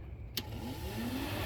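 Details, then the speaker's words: 1998 Jeep Grand Cherokee 5.9 electric cooling fan, harness pins shorted with a paper clip to test low speed: a sharp relay click, then a soft whoosh builds to a smooth, steady run; the fan works normally on low speed. "that's the low fan speed and I don't know if you could hear very well there we go yeah so you can actually hear the relays click when I contact the the harness with the paper clip and short the connection"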